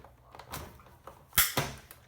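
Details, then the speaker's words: Hand-cranked Big Shot die-cutting machine rolling a framelet die with a thin die adapter and clear plates over card stock: irregular sharp cracks and snaps, normal while the die cuts, with a dog barking in the background. "now did everybody hear that little crackling noise you probably hear my dog barking outside as well but the crackling noise that you heard that is normal okay"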